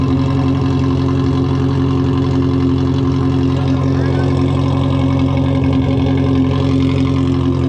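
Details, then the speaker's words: Cheap cammed 1.8L Miata pulled from a field, newly fitted fuel pump and weak battery, first start: a loud droning, lumpy idle that never settles, with smoke, water from the tailpipe and a burning smell. The owner suspects it is running on about two cylinders. "i think he's only running off on like two cylinders right now [Music] the idol is really weird"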